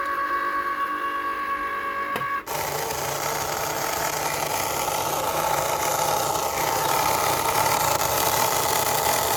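The cutter whirs steadily with a rough, gritty grind running through the carriage movement; grinding in the drive, cause not identified.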